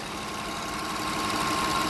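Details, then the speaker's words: Toyota Kluger V6 (3FE) after replacing a solenoid that had caused a rich-running misfire: steady, even hum with no stumbles at about 650 rpm, engine smoothed out; smooth idle. "Solenoid's in. I started it. Engine has smoothed out."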